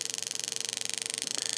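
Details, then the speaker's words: Mavit ULP-01 prostate therapy device (pulsed EMF, heat, vibration) after pressing power: fast, even ticking about twenty clicks a second with slight changes in pace. This is the massage function, with pulse frequency ramping down and up, working normally. "you'll hear the ticks and that ticking is basically the massage function and the frequency of the massage"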